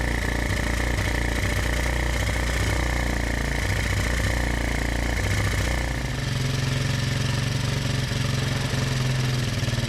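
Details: Honda ATC 125M three-wheeler, revived after being abandoned, new fuel filter fitted, carb slide checked to bottom out: single cylinder catches and settles into a steady, even putter at idle after a brief rev; starting and running normally.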